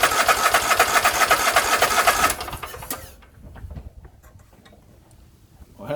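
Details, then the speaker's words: Husqvarna YTH24K48 lawn tractor cranking with fuel pump-to-carburetor line removed: starter churns steadily, engine never catches; no fuel coming from the pump, suspected clogged line, filter or tank debris. "there's no fuel coming out of that pump it's obviously not getting fuel to the carburetor"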